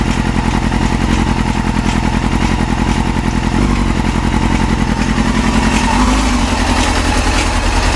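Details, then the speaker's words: Yamaha YZF-R6 after new ignition coils, warming up at idle with partial choke: fast busy idle that holds, then hunts up and down at random moments; idle speed randomly jumping, cause unknown. "So you hear this thing is like randomly having a jump in idle speed. And I've got it partially choked."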